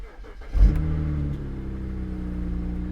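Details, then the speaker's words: BMW 135i with about 79,000 miles, at an auction yard listed as collision damage: quick crank, brief rev flare, then a smooth steady low idle; sounds a lot better than the owner's previous 135i; normal engine start. "oh this one sounds better this one sounds a lot better"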